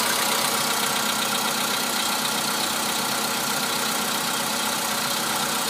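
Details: VW Polo Sedan cold start at -2 °C outside: fast light knock, roughly four per second, over the idle; cold-start engine knock, cause not pinned down, later runs evenly.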